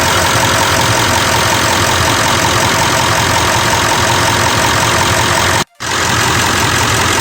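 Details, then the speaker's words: Ford F550 with 7.3 Powerstroke diesel, just started in neutral after a fuel filter replacement and fuel system priming: steady, even idle with a smooth, regular clatter and no misses or knocks; no leaks, runs fine. "Here we go. She fired it up. And let's go check for leaks."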